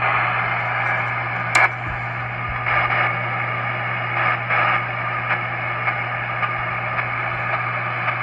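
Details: ATU-100 100-watt automatic antenna tuner used with a 7000 radio, broken from the factory and never tuning right: steady hiss and hum with sharp clicks at power-on; cause is a cracked solder joint at the antenna output, and the tuner worked well after repair.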